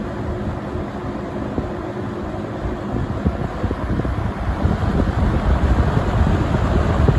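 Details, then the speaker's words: Vintage 1970 or 1971 Windsor (Lakewood P-21) box fan on low speed: steady hollow, bassy whoosh with a soft even flutter, no rubbing or rattle, industrial sound; normal running. "kind of reminds me of that 24 inch max air drum fan kind of sounds like that too it's got kind of a hollow bassy sound to it"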